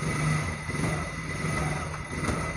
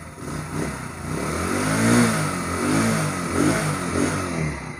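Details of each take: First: Motorcycle shaking badly at 40-60 km/h; revving gives a coarse, shaking rumble and buzzy rattle from loose engine mounting bolts, other wheel and handlebar nuts checked tight. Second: Motorcycle that had vibrated heavily at 40–60 speed, revved after its loose swingarm axle was tightened with a 17 mm spanner: it revs up and settles in a few smooth blips, with no rattles or knocks, now normal.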